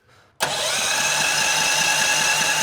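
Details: FunBikes GT80 Trail Blazer kids' off-road buggy during an electrical check, 12.68 V battery dropping about 2 volts on cranking: quick crank and immediate catch, then a steady, even buzzy idle; starts cleanly and runs healthy: normal start and idle.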